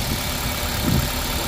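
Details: Steady, even idle with a smooth low rumble and no misfire stumble or ticking from a 2005 Toyota Corolla after a faulty aftermarket No. 3 ignition coil (code P1310) causing start-then-stall was replaced with a Camry coil; runs cleanly.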